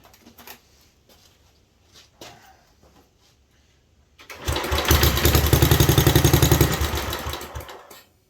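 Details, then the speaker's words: 1967 Unico 7hp tractor, idle 27 years, after carb rebuild: single cylinder catches and runs evenly about three seconds at a brisk beat before dying; owner thinks fuel system needs draining; normal running. "I like that. She is going to be an excellent runner."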